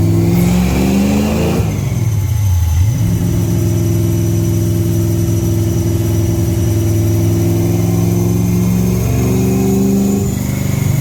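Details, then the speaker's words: Holley Sniper EFI car on a dyno during a wide-open-throttle pull, pulling hard and smooth through the rev range with no misfire or knock; it runs well despite blow-by, oil burning smoke and tire slip. "So you can hear the car's running good, but I don't know if you guys are able to see."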